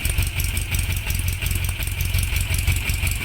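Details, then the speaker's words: VW Beetle air-cooled boxer engine with ignition timing set correctly using a timing gun: low, even flat-four burble at about 600 rpm idle, steady beat with no knocks or misses; normal idle. "So kalau kita setting timing betul, dia punya boxer engine bunyi dia macam"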